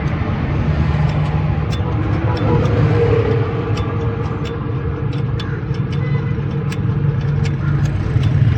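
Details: Toyota Hilux diesel (2L/3L/5L type) after injector nozzle cleaning and repair for a misfire; steady, even diesel clatter at idle with a smooth low rumble, no missing or knocking cylinder; normal idle.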